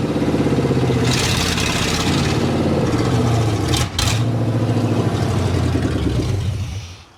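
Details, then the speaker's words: 1987 Chevy square body short-bed pickup, un-muffled straight headers, clogged fuel filter found, fuel pump powered by separate battery amid unsteady pump voltage: catches, runs unevenly surging and sagging, won't settle to idle, dies away; owner suspects distributor; rough running. "Doesn't want to idle. I think the distributor's kind of messed up, so. folks, at least it runs, but not very well."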